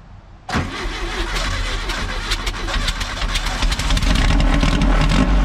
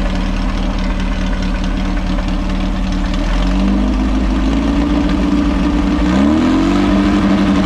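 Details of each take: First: VW Baja Bug revived after sitting, with the sticky throttle cable lubed and the choke adjusted: cranks briefly, catches at once and settles into a steady, even idle with no misses or knocks; a healthy start. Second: VW Baja Bug with a stinger exhaust, revived after long neglect, on its first start. Revs climb from idle and stay high until it is shut off, because the pedal did not return. Sticky throttle cable, to be lubed. Stuck throttle.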